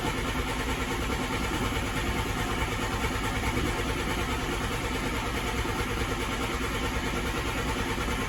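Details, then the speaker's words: 1988 VW Polo MK2 Breadvan, first start after refitting the cleaned carburettor: steady churning crank at about 2.5 beats a second with no firing, because the carburettor was emptied during cleaning and the fuel has to pump up. "Carburetor was empty because I cleaned everything out on it, so it's going to take a while."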